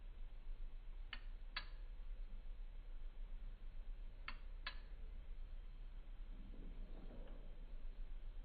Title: Razer Blade 15 Creates Weird Noises 2